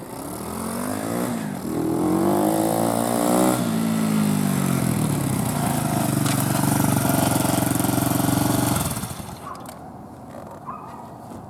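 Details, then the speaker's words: eBay 125cc 4-stroke 4-speed pit bike engine newly installed in an old Apollo DB18 dirt bike: crisp single-cylinder note climbs and settles smoothly through several revs, no knocks or rattles, then drops off; healthy running. "Engine fit in there pretty good. It runs pretty good."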